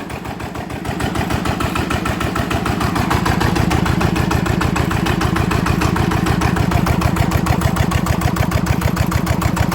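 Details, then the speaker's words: Yanmar TF85 LM single-cylinder diesel idling after repair of stiff rotation and knocking; steady even thump about 200 beats a minute with no knock or miss, gear noise very quiet, injector O-ring leak noted. "ตอนนี้ก็เสร็จเรียบร้อยนะครับสำหรับเครื่องยมานะครับอ่านี้รู้สึกว่าเสียงเฟืองนี่จะเงียบมากนะครับ"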